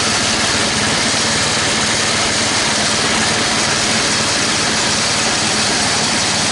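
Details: Toro 824 snowblower after carburetor replacement (was stalling, hard starting, wouldn't stay running): fires up and runs with a loud steady buzz, no surging or dropouts, holding running through all gears with the auger engaged without stalling.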